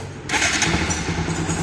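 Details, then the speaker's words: Bajaj Pulsar NS 200 after clutch one-way (starter clutch) replacement and oil change, previously cranking with an odd noise but not starting: starter spins briefly and the engine catches at once, settling to an even idle with no grinding; normal electric start. "ముందు లాగా sound గాని problem గాని లేదు self చూడండి"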